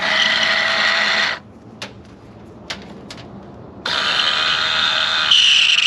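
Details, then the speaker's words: Water-damaged convertible top motor from a flooded Honda S2000, bench-tested: a high-pitched whirring motor runs, stops and runs again with a gritty, rough grind in the whine; it spins but is dying. "yeah that it's not supposed to sound not supposed to sound like that yeah it I mean it's it's dying yeah look at it it's it's dying sounds like a rat yeah so although it's spinning it's not good"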